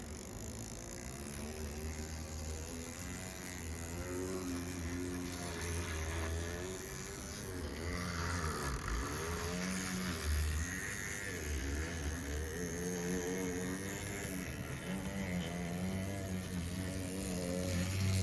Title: Atlas U25B Making Noise Not Running Correctly